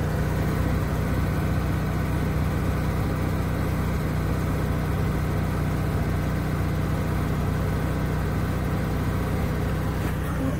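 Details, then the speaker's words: Onan 4k generator in a Bounder motorhome, running after Royal Purple Max Clean fuel treatment, heard through a cracked window. It holds a steady, even drone at a constant low pitch with no surging or misses, and sounds much better and smooth. "wow the generator sounds so much better"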